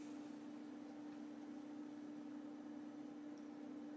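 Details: HP ProLiant ML350 Gen6 server rebuilt as a TrueNAS Scale NAS with Arctic fans on a fan controller; a low, quiet, steady hum with one smooth even tone and no rattle, grind or pulsing. The fans are running normally and the owner finds it pretty quiet.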